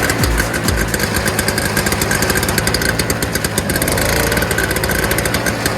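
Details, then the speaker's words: Early-2000s Toro Snow Commander snowblower (7 hp R-Tek two-stroke, 24-inch single-stage) after a fuel system fix: fast, crackly, steady two-stroke buzz with even firing. It runs normally now that fuel flows, and the smoke has cleared. "so after running for a little while smoke is cleared out it's no longer smoking as much"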